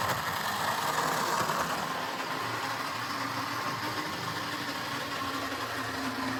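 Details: Jouef HO-scale Class 21/29 model locomotive on the layout after servicing, with no replacement motor available. A continuous coarse whirr and steady drone show it turning freely but running loud and rough; normal running with a noisy gearbox.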